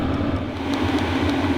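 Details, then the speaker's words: H-Calory Toolbox 2S diesel heater switched up to full power, draw rising from about 10 to 13 W: the blower runs at full speed and the fuel pump ticks faster. Steady blower roar with light, regular pump ticking, healthy at full output. "Kicking up to full power now. And we go from just over 10 watts to slightly over 13 as the blower is running full speed and the fuel pump obviously running at a higher frequency."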